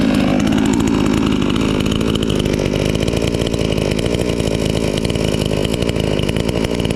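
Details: Chinese counterfeit chainsaw sold as a Stihl, newly assembled, being run in on throttle: started first pull; sharp, even two-stroke buzz holding steady at high revs without stumbling or misfiring; runs healthy.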